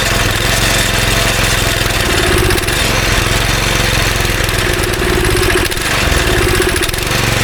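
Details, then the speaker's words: Go-kart engine sitting about 3 years, on choke, primed with carb cleaner, held wide open: loud, ragged, stumbling and sagging unevenly; bad gas left in a tank pocket that draining missed, smells and runs awful. "So we got it to fire up. It smells awful and it runs awful. There's still some bad gas somewhere in the tank, like in a little pocket that I couldn't get out."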